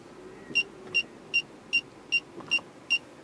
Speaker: so here I'm going to do another test where I'll walk up to the back of the vehicle and as I get closer you hear the chirping get faster and faster until the chirping becomes constant